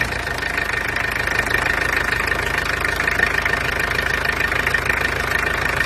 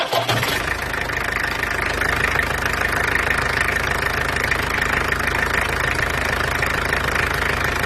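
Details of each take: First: Peugeot 404 LDV, XD2 diesel: steady, even, fast diesel clatter with no misses; quite noisy but runs nicely. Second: Peugeot 404 LDV pickup, XD2 diesel, second pickup: steady idle with hard crunchy clatter ticking about three times a second, crunchier than the other engine though owner isn't concerned; harsh diesel idle knock.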